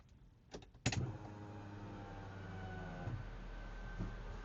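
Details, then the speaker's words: 1990 Honda CRX SiR, right-hand drive, stored over a decade, mic placed by the fuel pump: after a click, a thin steady electric whir holds about three and a half seconds then cuts out; normal fuel pump prime. "All right, we're going to turn the car over and I'll put the mic over by the fuel pump to see if we can hear it. Sounds like we can hear it."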